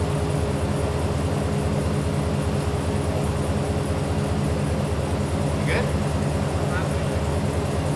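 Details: 1989 Jeep Wrangler YJ 4x4, manual, revived after 12–13 years sitting: uneven, lumpy idle stumbling about two to three pulses a second, cylinders dropping out; seemed to run on two cylinders, two spark plugs later found cracked through.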